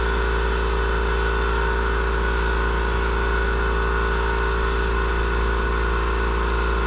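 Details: Murray 42-inch riding mower, 18.5hp Briggs & Stratton PowerBuilt OHV, after cleaning a completely clogged carburettor part: even steady single-cylinder drone with no misses, surging or knocks; running smoothly.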